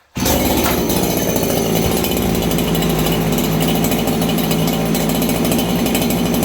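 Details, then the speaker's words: Farmertec 288 kitsaw (90cc aftermarket chainsaw): saw snaps up and holds a hard, thin scream at flat-out revs with no burble; high jet running far too lean after low jet was tuned, risking damage. "This thing didn't run like that last time. So, okay, you hear it's a little lean."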